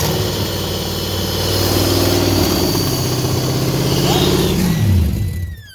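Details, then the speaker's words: Junkyard Ford Mustang Fox body 5.0 V8, after spark plugs were installed and a broken-plug extraction, holds a fast, steady idle that won't settle, then revs drop at shutdown; mass airflow sensor suspected, unconfirmed. "that I don't seem to like to idle down very nice for some reason but mass airflow might have had something to do with that"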